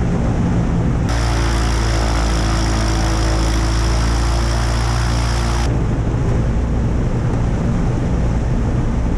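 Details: Aviat Husky aircraft engine on its second run after rebuild and overhaul following submersion: steady, even low drone with a smooth idle and no knocks or misses; sounds healthy.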